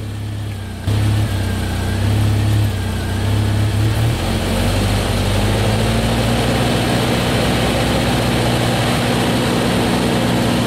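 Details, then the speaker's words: Jeep Wrangler TJ at high idle with check engine light: idle is 941 rpm with the TPS unplugged, rising to 1700 rpm once it is reconnected. Engine settles to a fast steady idle; faulty throttle position sensor. "we're at 1700 RPM so obviously we got a bad TPS switch so I'm going to get one of those"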